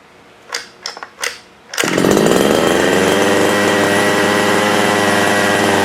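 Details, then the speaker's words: Losi 5ive RC car gasoline engine just pull-started with choke off: steady even buzzing idle, slightly high before warm-up but running clean. Normal idle. "You could hear that the idle was a little bit high, which is okay. As the engine warms up, sometimes the idle will drop significantly, sometimes it won't."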